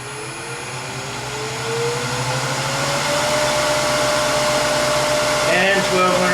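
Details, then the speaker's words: Powermatic 3520B lathe after replacing its failed 15-year-old inverter with a Westinghouse L510-203-H1-U: smooth motor hum climbing steadily as it spins up, then holding even, no rattle or grind, no louder than before; normal running. "rpms it's relatively quiet it's not even louder than it ever was which is a good sign that means things are working right"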